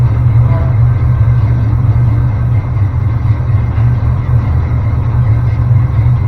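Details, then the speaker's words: Small-block Chevy V8 after finding top dead center, distributor cap twisted by feel until it fired, before timing is set: low lumpy idle just after start that steadies and smooths; uneven idle. "So, that got us close enough that it would start. I just twisted the cap a little bit once it wanted to fire until I felt where it was."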